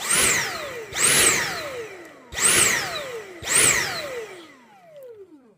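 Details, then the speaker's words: Dyson cordless stick vacuum on max suction: motor whines up, then cuts out and spins down four times about a second apart, quitting after 30 seconds to a minute; pulsing cut-out, owner suspects low battery charge or a nozzle blockage. "But if your Dyson sounds like this on max suction, and it won't work after maybe 30 seconds or 1 minute,"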